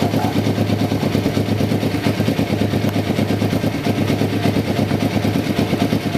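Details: 1993 Kawasaki Vulcan EN500 bobber project, first start after removing the reed/air suction valve and installing and synchronizing the carburetors; mixture not yet tuned. Steady, even twin-cylinder idle with quick, clean blips, no misses or stumbles; runs healthy and balanced.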